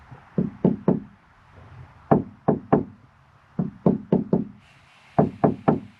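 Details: 2004 Jaguar XKR with an upgraded exhaust (4 of 5 silencers removed) that booms at 1400–1600 rpm: knuckle taps on the bare boot floor panel ring with a hollow, drumming boom before butyl deadening sheet is fitted. Resonant body panel.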